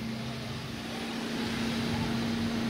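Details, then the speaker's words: Repaired air fryer test-running at 170°C for 2 minutes. The fan whirs steadily over a constant low hum with no rattle or scrape, the same as when new. "nghe cái tiếng nghe tiếng ồn của Hoàng đang chạy nó chạy rất là bên em Ừ đúng chuẩn như lúc ban đầu"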